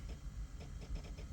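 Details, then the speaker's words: 2008 Corvette C6 with no crank, no start and no communication to the ECM, battery voltage fine; faint rapid irregular clicking, engine off, from the fuel pump relay and powertrain ignition relay chattering on and off. "What's making that noise is a fuel pump relay and the uh power for the powertrain ignition relay. It's like tripping out for some reason."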